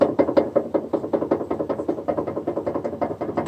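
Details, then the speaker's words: Lada Vesta under warranty, heard inside cabin on rough surfaces, gravel, paving tiles: uneven hollow knocks about 2.5 per second; loose clunking brake calipers, dealer called it normal. "не слышно при езде по каким-то дорожным покрытием неровным щебенкой будет поможет тротуарная плитка все это слышно в салоне"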